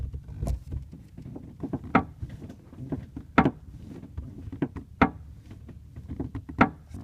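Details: 2003 Ford Mustang Mach 1, engine off: irregular dry creaks and sharp clicks each time the rear right side interior trim is pushed, heard from the back left seat; loose panel creak coming from up near that trim.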